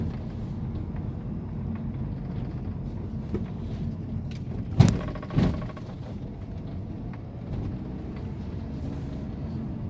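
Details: 2011 Mini Countryman driven after replacing rear stabilizer bar link bushings for creaking and crunching on rough roads: even road rumble, a couple of dull bumps, no rear creaking; quiet rear suspension.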